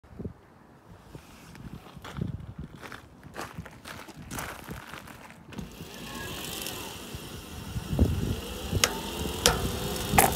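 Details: TSDZ2 mid-drive e-bike motor: irregular sharp cracks and creaks over faint motor hum, persisting after the gears were cleaned and re-greased. Axle play is suspected of letting the big main gear hit the motor housing; an extra axle bearing is planned, not yet repaired.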